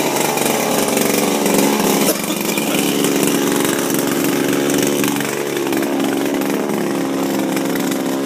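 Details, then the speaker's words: Refurbished Shindaiwa power broom two-stroke with new carburetor, gaskets and recoil, sweeping on grass: buzzy high-speed running with slight load dips, picking straight back up; normal running. "you can hear it moving in there bad that's a good thing she's popping that's a positive"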